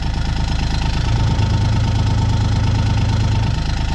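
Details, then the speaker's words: John Deere Gator XUV 855D diesel under load, parked on a hill with the parking brake on while being pushed. Uneven low drumming is heard best at the bed and also occurs when accelerating. "vibration you can hear it the best back here because it really translates into this this bed hear that so there's some sort of vibration causing that"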